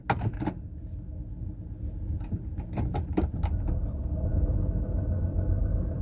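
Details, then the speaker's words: Petrol car jump-started after a dead battery, check engine light on: rough, lumpy idle with an uneven deep thump and loose knocking rattles from a dead miss; almost sounds like rod knock, though the speaker doubts it. "I don't know if y'all can hear that, but um basically this thing has got a dead miss. Um there's a lot of um like resonance coming back in. It almost sounds like a rod knock."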